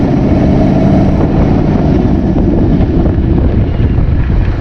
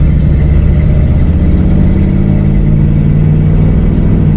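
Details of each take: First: 1959 AMC Rambler 3-speed automatic, sat 40 years, just after adding Seafoam Trans Tune, filter not yet changed: engine drone climbs and holds several seconds before easing down, still hanging in gear and upshifting late; no improvement yet. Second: 1959 AMC Rambler three-speed automatic that sat 40 years, after Seafoam Trans Tune treatment (filter not yet changed), driving first to second: engine pitch climbs then eases as it drops smoothly into second, no slip or flare; shifting fixed.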